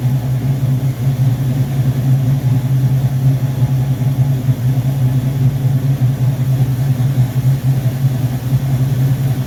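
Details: Rebuilt Rochester Quadrajet 7029202 from a 1969 Corvette (ethanol-damaged fuel bowl cleaned up), first start after rebuild: deep, steady V8 burble with even rhythm, no misses or stumbles; clean, normal idle.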